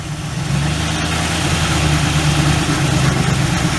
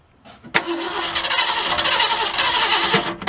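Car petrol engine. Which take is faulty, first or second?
second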